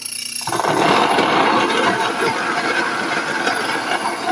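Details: Nutrimill Harvest grain mill: motor starts, then steady even gritty grind with light stone clicking as berries feed through. Mill running normally.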